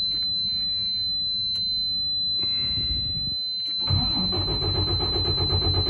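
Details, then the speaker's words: Detroit DD15 truck diesel whose fuel drains back to the tank overnight, restarted after refilling the Fuel Pro and hand priming: several seconds of steady cranking before it catches and runs unevenly; air in the fuel system, and the ECM was offline. "These Detroits are the worst engines to get air out of the fuel system. And just like that, we're still waiting."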